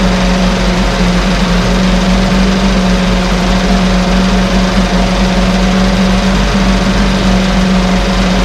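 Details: 1968 Evinrude Fastwin outboard, bought and only set in a test tank with no repairs, out of gear with no load: steady buzz holding one pitch with no surging, popping or misses; no cold-start cough, Sea Foam in the fuel cleaning it out. Normal idle.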